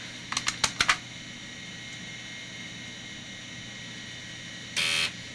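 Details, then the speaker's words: MICATA MBVLSI-168 AMD 286 system trying to boot from floppy: a burst of sharp head clicks then a short buzzing seek with no steady reading; the floppy drive cannot read the disk and may need replacing. "I don't really sound that healthy if you listen to that yeah it's not able to read that dist at this point"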